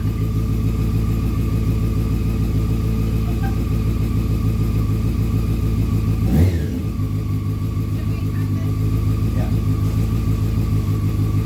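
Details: 2001 Honda CBR600 F4i after valve adjustment and reassembly, first start: inline four catches and settles into a steady, even beat with a throttle blip, slight smoke from exhaust; runs healthy.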